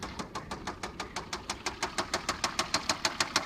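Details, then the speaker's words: 2001 Volvo S60 turbo automatic, 86,251 miles, at idle: sharp regular metallic knocking about three per second; suspected wrist pin or rod knock, turbo good. "you can hear there's like a little guy in there wanting to get out probably got a risk pin or a rod knocking but the turbo's good"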